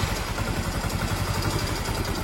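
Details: Yamaha Mio M3 scooter engine with a harsh sound: idles roughly and unstably with a dry clatter over an uneven low thump; idle won't hold and it stalls easily.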